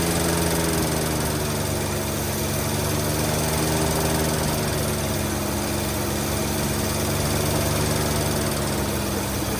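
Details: 1948 Studebaker Champion flathead six, long abandoned, on old fuel, warming up: uneven, lumpy stumbling idle under steady exhaust; number 6 dead, owner suspects an intake valve (puffing from carburetor) or plug wire corrosion.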